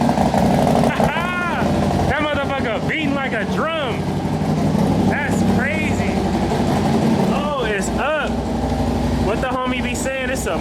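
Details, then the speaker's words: Harley-Davidson Road Glide with suspected cammed motor, from Copart, first start-up: steady choppy lumpy-cam V-twin beat settling into idle, left to warm up without throttle; sounds healthy. "man we just finally got this thing to fire right up it's game time baby I hear that motor chopping like that I ain't gonna hit the gas I'm gonna let it warm up"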